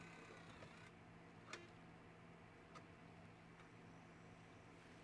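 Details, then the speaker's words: Nintendo Wii optical disc drive: a quiet steady hum with a few sharp ticks as the disc spins; it runs louder than it should but still reads the game. "It's loud, but it seems to read. Yeah, it's reading the game. So, this one reads games. It's just loud."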